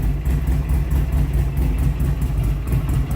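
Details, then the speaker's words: 2007 Buell Lightning XB12SS with new aftermarket exhaust, first start after sitting all winter: deep loping V-twin idle about two thumps a second, even with no skips or misfire. "it has not ran all winter and i put this exhaust on from rev moto sounds really good though but this is definitely the first start in a long time"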